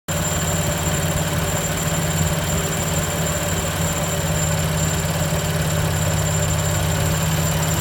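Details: BMW M4 at steady idle with a thin, high-pitched squeak riding constantly above the engine note. Source of the squeak not yet identified.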